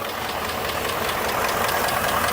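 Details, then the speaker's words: 2018 Ford F150 4x4 5.0 Coyote V8 at idle, sold as having a bad engine, also needs a PCV valve (hissing): quick, even ticking keeping pace with engine speed, sounds the same on both sides; cause unknown. "But that noise is still there. And the thing is, it sounds I don't hear like it's coming from this side or it's coming from this side."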